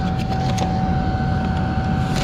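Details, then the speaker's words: Newly wired boat engine-compartment ventilation fan first switched on: loud steady whoosh with a constant mid-pitched hum over low rumble; blows strongly and evenly, just noisy. "ouais jeentends c'est puissant quand même c'est puissant mais ça souffle c'est puissant mais bruillant"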